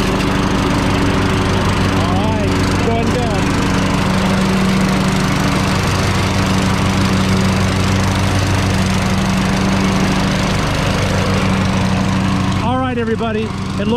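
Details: 2006 Troy-Bilt Pony lawn tractor, 42-inch deck, after replacing both original blade spindles, blades and belt: steady engine drone with blades turning smoothly, no grinding or spindle rumble; normal deck running.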